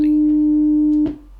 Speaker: if you hear a clean 300 HZ toone in all three tracking it means that your system your arm and cartridges can track